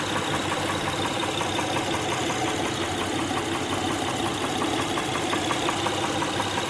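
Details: 2006 Honda Pilot 3.5L V6 at idle: light, steady ticking knock about 1.5 per second over engine hum; spark plugs, timing belt tensioner and injectors ruled out, valve cover removal found a defective camshaft lobe; camshaft replacement planned.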